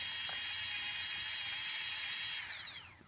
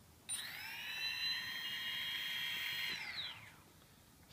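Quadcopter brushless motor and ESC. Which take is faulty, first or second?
first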